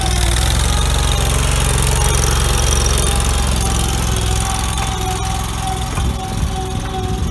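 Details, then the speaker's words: 2000 Allmand TLB-25 mini backhoe, 25 hp Kohler twin-cylinder gas engine with added electric fuel pump, below full engine speed while hydraulics work; steady deep drone, snappy response, no knocks or grinding; normal engine and hydraulics under load. "Snappy and that's not really even uh full speed on that engine"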